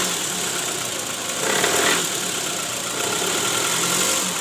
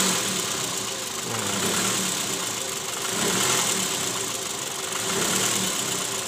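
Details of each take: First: 2008 Toyota Previa GL240, 186,000 km: rough, uneven idle with irregular knocking shudder and harsh "krrrr" note, worse when shifted into D and R with AC on; balancer shaft found worn and loose (oblak) after removal. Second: 2008 Toyota Previa petrol engine, 186,000 km, idling in reverse after replacing the worn, loose balancer shaft and its bearings: steady, even hum with no rough rattle or knock. Before repair it ran harsh in D and R.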